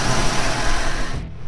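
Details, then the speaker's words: 1991 Ford Mustang GT Fox body convertible at idle in neutral, after repair of a rattle traced to the clutch throwout bearing area. Even, steady low rumble with only slight vibration and no rattle from the bellhousing; normal idle. "slight vibration but holy dyna is that a lot better and no more noise"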